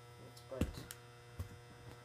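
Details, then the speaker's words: GE 400 W high-pressure sodium lamp fixture running at about 430 W: steady low mains-rate electrical buzz with a few handling clicks; the ballast hums loudly. "as you can hear the ballast is quite loud oh quite noisy"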